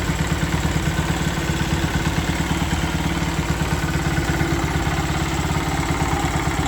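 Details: Honda Sonic 125 that would not start, with new carburettor: fuel line replaced and fuel filter added, now it starts, part left off to watch for flooding. Steady, even putter, about three beats a second, no stumbles; normal idle.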